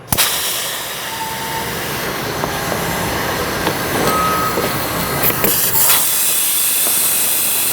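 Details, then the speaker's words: Tsunami regenerative desiccant air dryer, piston with simulated missing O-ring, muffler removed: loud, steady roaring hiss as system pressure bypasses the piston and inlet air dumps straight out the purge port. "so this is the Piston that I've simulated uh losing an O-ring and it's allowing system pressure to bypass the O-ring use to seal off the inlet air and it should immediately discharging through the muffler"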